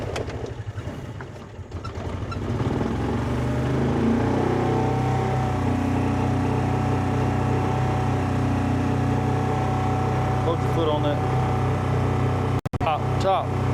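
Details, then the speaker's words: 2004 Kawasaki Mule 3010 petrol twin, unrun six or seven months, after new fuel pump and carburetor: lumpy, lopsided idle about three beats a second, running on one cylinder; one coil power wire was pulled off during rewiring. "It's running on one cylinder. >> It's doing exactly what it did before."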